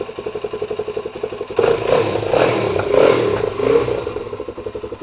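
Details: Suzuki DRZ400SM started after repairing a leaky fuel petcock (bad seal refitted, sealant and tape applied, no longer leaking): even thumping idle about four beats a second, brief clean rev rise, settles to a steady healthy idle.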